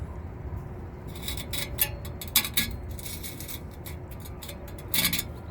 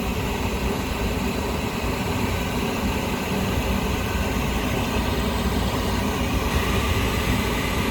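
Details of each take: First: Rusted-through Lennox rooftop unit heat exchanger, old part removed with pinholes and rusted seams, tipped by hand: loose gritty rattles and tinkling as rust flakes and scale slide around inside before replacement. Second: Lennox rooftop unit on first firing after heat exchanger replacement, with the combustion blower and safeties checked: a steady, even low roar from the burner and blower with no knocks or surging. Normal running; the new part burns off a smell.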